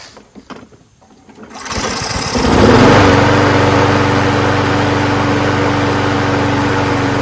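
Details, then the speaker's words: Craftsman self-propelled mower with a 6.5HP Briggs Quantum engine, a trash find with a cleaned carburetor, started using the primer: brief sputter, catches near two seconds, then a steady, even four-stroke beat. Engine starts and runs normally; self-propulsion does not work. "rest of it's fine so uh this is uh running and starting now"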